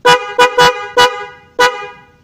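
Five short loud horn blasts with a clear, strong buzzing tone, each cutting off cleanly; the horn sounds healthy.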